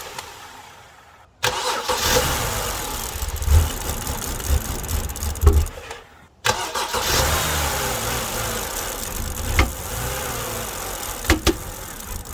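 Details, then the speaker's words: BMW E90 after fixing no-start, took long to start: uneven, lumpy idle with occasional stumbles; suspected vacuum leak, bad coil or bad spark plug, not confirmed. "you could still kind of see and hear that the car is suffering from something like either like a vacuum leak or a bad coil or a bad spark plug something like that so it's not really happy at idle"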